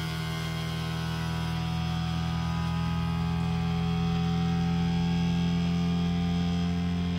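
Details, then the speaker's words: Creality Ender 3 V3 3D printer running its self-calibration: a loud, steady, low droning hum that rises slightly in pitch as the bed moves. This is a normal calibration noise, nothing wrong. "now this did worry me me originally because obviously that noise is it's quite loud uh it is meant to do that so you know don't panic it does sound like it's about to take off it's completely fine that is just it calibrating itself"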